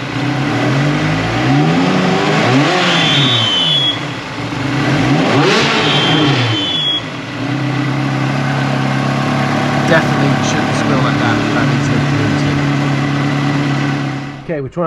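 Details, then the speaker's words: Ferrari 360 Challenge Stradale Spider, first start, belt tension feels okay, WD-40 on pulleys didn't help: persistent high chirping whine tracking revs; suspected belt-driven accessory noise, not confirmed. "fired up the engine and uh checked the belts the tension on all of those kind of feels okay at first touch and next thing we've done is fire it up spread a bit of wd-40 on just the pulleys here and again the noise is still there"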